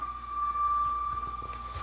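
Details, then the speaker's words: Old refrigerator giving a steady, piercing high squeal at one pitch, like screaming; the cause is unknown, the owner guesses it was adjusting to cooling temperatures, and it eventually stopped. "It's like screaming. It sounds like there's someone living in my walls. It makes this really weird noise."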